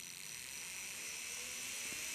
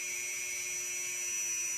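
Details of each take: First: Matched pair of brushed RC trail-truck motors run for speed matching by sound: smooth, high-pitched, even whir. Front motor slightly higher-pitched than rear, so the pair suits installation. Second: Brushed RC trail-truck motor spun up with brush timing set to zero: a steady, even high-pitched whine with no rattle, lower in pitch than at 12° advance. Normal running at zero timing.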